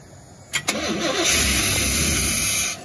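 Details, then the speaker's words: 1987 Chevy C10 square body that sat about 15 years: two quick cranks, catches at rough fast idle, then dies; no fuel coming through, so it stalls. "yeah it's gonna stall out because there's no fuel"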